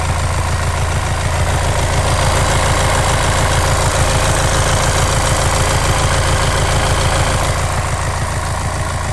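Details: VW Transporter T6, 2.0 TDI CXHA Euro 6, 150 PS, diesel at idle: a regular knock about three or four times a second over the low rumble, an abnormal engine noise whose source is not pinned down.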